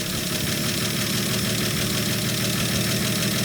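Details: 1965 Dodge D100 six-cylinder, after sitting 30 years, running on fresh fuel with no coolant in the engine: settles into a steady, even idle with a soft rapid beat over exhaust rumble, no misses; running fine.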